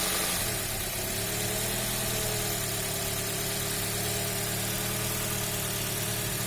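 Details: Toyota Axio petrol engine that had idle, rpm drop and pickup problems from a dirty electronic throttle body: steady smooth idle, no misses or hunting, after throttle body cleaning.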